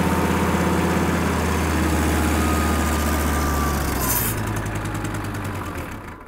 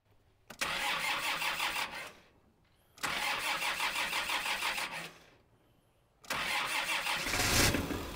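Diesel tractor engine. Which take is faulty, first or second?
first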